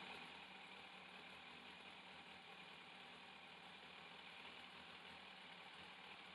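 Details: 2002 Yamaha FZS 1000 Fazer four-carb engine, warmed up, during carburettor synchronisation with vacuum gauges, tank removed: steady, even idle with no hunting or misfire, smooth constant hum; carbs balanced, normal idle.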